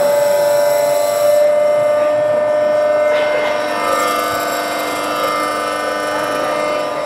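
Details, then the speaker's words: VVVF PWM induction motor drive at higher speed: a steady high whine shifts and thins as the drive changes "gear" and drops pulses to get more volts out of the inverter for the motor; normal inverter pulse-dropping whine. "So, we've changed the gear again, but this time we're also dropping pulses. We've decided we don't actually need to have uh so much pulses in there."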